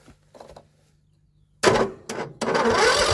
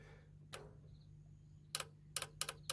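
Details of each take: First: John Deere L110 lawn tractor that sat for three years, cranked with the choke fully on and the fuel solenoid working. The starter turns slowly and evenly, about four compression beats a second, but it never fires; the battery seems to be dying. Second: John Deere L110 lawn tractor that sat for about 3 years: the carburetor fuel shutoff solenoid gives sharp dry clicks over a low steady hum, snapping in and out; working normally.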